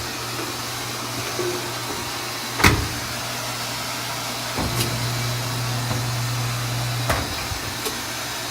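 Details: Clothes dryer after DIY repair (drum bearing reattached, drum remounted, front plate and three-pin connector refitted) on first test run: steady low motor hum with a few soft thumps from the turning drum, no squeak; running normally.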